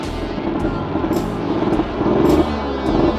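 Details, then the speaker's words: 1963 KTM Ponny 2 (Hercules) two-stroke moped during setup: steady buzzing beat under music. It starts very well with good compression, but runs too rich and the idle is a bit low. "ah il démarre vraiment bien"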